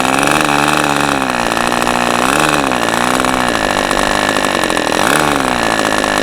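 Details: New-in-box OS 40 FP glow engine on a test stand, first run, factory idle settings, 11x5 prop, OS #8 plug, 5% castor/synthetic fuel; high buzzy idle that sags and recovers every second or two, uneven idle speed.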